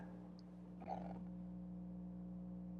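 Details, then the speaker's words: Dayton Audio SPA500DSP Class D plate amplifier newly installed on the outside of a sub box: steady low hum with a fainter higher tone from the drivers with no music signal; amplifier hum suspected, cause not confirmed. "There's some hum. There's some hum coming from the drivers when there's no music signal going to it. It's humming right now."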